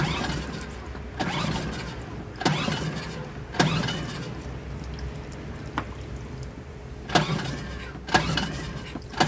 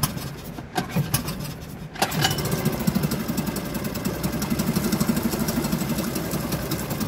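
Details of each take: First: Suzuki DF2.5 2.5 HP outboard that won't start: gasoline sprayed into carburetor air inlet makes it start, so fuel isn't reaching the carburetor, likely blocked jet. Short bursts of pulling and cranking, catching briefly but never settling. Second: Suzuki DF2.5 2.5 HP outboard tested in the water after a no-start fix, fuel valve and tank vent open; after a couple of pulls it settles into a steady, even putter. It runs normally.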